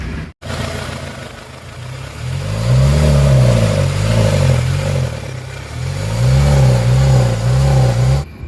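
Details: Kia Sorento 4x4 automatic after fixing a crank-but-no-start fault: engine blips up and down several times, pitch rising and falling cleanly with no knocks, misses or rattles. Normal, healthy running.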